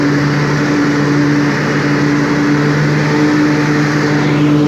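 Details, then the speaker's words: 1998 Craftsman DLT hydrostatic lawn tractor, 16.5hp Kohler Command, freshly tuned up with a new fuel pump and a rebuilt carburetor: strong, even note holding steady pitch at full throttle, no misses or knocks; runs smooth and healthy. "as you can hear it has plenty of power runs smooth throttle it all the way down if you need to walk away from the machine"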